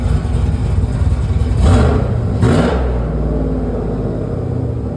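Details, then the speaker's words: 2009 GMC Sierra with a Cadillac engine swap, after an upgraded camshaft, lifters and top-end build replaced a failed lifter and cam that caused a cylinder-three misfire: deep choppy V8 lope, two clean throttle blips, then uneven loping idle; normal performance-cam idle. "I love it. Very choppy sounding. I'm going to show you guys what it sounds like."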